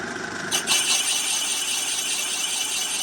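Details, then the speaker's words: Finish boring cut on a 74 mm Imp cylinder bore after rough cut: smooth, even hiss of steel cutting, no chatter or grabbing, running true and concentric; normal cutting sound. "So now that we've already got a hole, we should hear real nice concentricity when it touches on."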